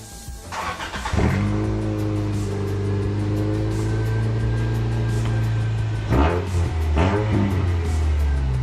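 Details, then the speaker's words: 2001 Toyota Corolla 1ZZ 5-speed race car with the muffler removed to reach alignment adjusters. A raw, loud rasp climbs with each rev, with sharp pops as the throttle drops; loud exhaust with backfire, muffler removed. "Sounds like a ricer, sure. Backfired. Impressions? It sounds like a race car without the muffler."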